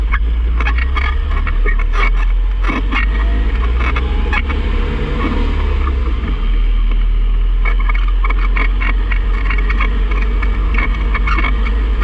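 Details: 2006 Mazda 3 hatchback, manual, driving, recorded on a GoPro: deep road rumble with scattered clicks and knocks. Confirmed as a worn passenger-side inner CV joint, not the clutch or throwout bearing.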